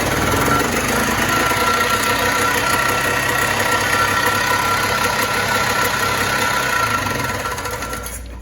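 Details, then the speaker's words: 1987 Polaris Trailboss 250 4x4 ATV, bought non-running, run briefly with the drive belt unhooked: harsh, uneven two-stroke rattle at a fast, unsteady beat that then drops off; it runs but rough, cause unclear. "it's really bad to run those without the belt so i'm not going to run it long but it was running doesn't sound amazing if i'm being honest"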